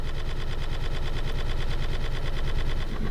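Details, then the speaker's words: 2010 Toyota Corolla LE, blower running: a rapid machine-gun clatter with heavy low shaking that vibrates the whole car, from debris unbalancing the blower fan wheel. "Right now it basically sounds like a machine gun shooting. Interesting. And the whole car actually shakes."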